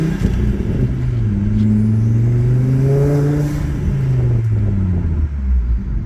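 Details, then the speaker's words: Volvo V70R (P2) after alternator and tensioner replacement: revs climb and fall cleanly, deep even exhaust note, no whine or rattle; normal engine revving. "Now listen to this. Just engine sounds."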